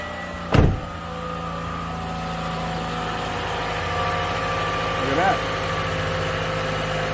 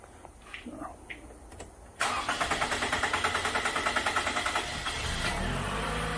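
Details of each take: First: 2014 Toyota Camry four-cylinder with hard start, long crank and P0171 lean code, started after fuel work with air in the system: single clunk then steady even idle, no misses; fuel pressure 49. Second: 2014 Toyota Camry four-cylinder with P0171 system lean code, fuel pressure gauge teed into the rail line; long crank about three beats a second before it stumbles and catches rough, hard start from low fuel pressure, about 23 psi versus roughly 40 expected.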